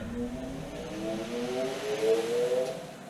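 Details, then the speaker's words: Glass balancing beads in a 16-inch truck tire on a wheel balancer: rising hum as it spins up, light rattle early that quiets as the beads flatten out and settle evenly. "and you can tell they flatten out and then you don't hear all that noise after they get going"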